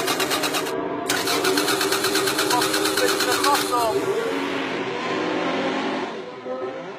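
Quick steady chugging of the starter, roughly three beats a second for about four seconds, never catches: it cranks but won't fire.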